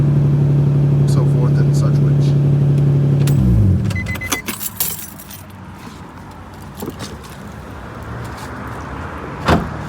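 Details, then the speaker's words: Nissan 350Z VQ35DE V6 after replacing the cylinder 3 spark plug and coil pack to cure a cylinder 3 misfire, with the code cleared: steady even idle with no stumble before shutoff; sounds healthy. "Now the car is running fine. Engine code has been cleared. I can actually start it up."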